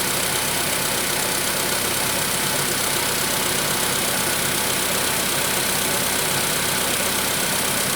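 Steady idle with a fast, fairly regular tapping of about four knocks a second riding over the engine: a knock at idle.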